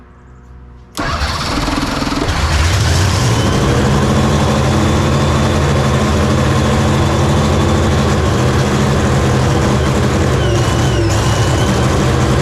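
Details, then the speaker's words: Hemi funny car at first fire-up, cranking with air wide open and a steady churning rhythm around four beats a second but no clean catch; ignition problem, mags then shut off. "It has an electrical issue. There's an ignition problem. There's an ignition problem."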